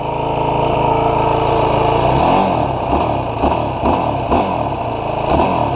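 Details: New 2016 Yamaha YFZ450R SE that bogged at low rpm/low throttle, after adjusting the throttle position sensor to 0.81 for richer fueling: idles then blips rise and fall cleanly with no stumble; crisp throttle response, bog gone.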